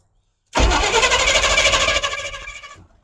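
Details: Squarebody utility truck, battery boosted, start attempt in a field. The starter cranks steadily at about three turns a second for over two seconds and winds down; the engine never catches. Long crank, no start.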